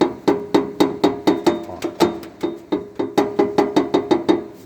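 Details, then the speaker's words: Jeep Compass, rear: sharp metallic clanks about four a second as the exhaust pipe sits too close to and strikes the tow hitch; hitch mounting to the frame rail is fixed. "Já de cai tá ficando muito perto, ó. Láó. Aí chega a ficar perto demais onde dá o barulho."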